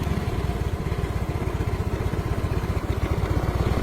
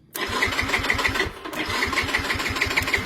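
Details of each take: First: Yamaha Mio M3 scooter idling after a short that cranked it with the key off was fixed just by tapping the relay; starts and keeps running with the jumper removed, charging over 13 V; steady even putter, no misses; normal idle. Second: Yamaha Mio M3 scooter with ignition key off: starter cranks on its own at about six even pulses a second and the engine never catches; short circuit suspected in the starter relay; stuck starter relay.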